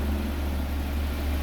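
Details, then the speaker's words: Audi A4 B6 1.8T Quattro wagon after engine pulled and refreshed, first start once off timing was corrected: smooth, even low idle with a steady hum, no knocks or misses; started right up, healthy, normal idle. "so um yeah she's all good she's healthy started right up i don't think there's any concerns anymore"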